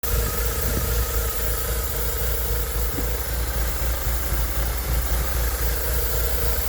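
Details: BMW Z3 1.9 with M44 petrol engine at idle: steady airy hiss and faint whistle over a slightly uneven beat; vacuum leak.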